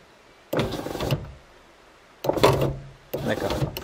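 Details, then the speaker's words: Ford Ka I passenger power window, goes down with bad noise and sometimes won't go up: three short motor runs under a second each, coarse buzzy drone, something forcing and vibrating. "vraiment quelque chose qui force qui vibre"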